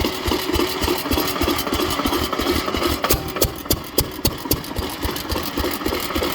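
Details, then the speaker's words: Witte 5 hp engine after a cold start, at slow idle before shutdown: sharp metallic knocks about three or four per second following each firing; owner identifies connecting rod knock. "There we go. You can hear that rod knocking right there."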